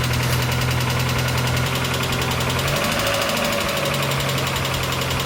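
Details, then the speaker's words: 1992 Mazda Miata NA after replacing the downpipe exhaust gasket: a steady idle with light, fast ticking on top; ordinary hydraulic lifter tick, expected and not alarming. "The clicking that you're hearing right now and just a few minutes ago, that is lift or take, so that is to be expected"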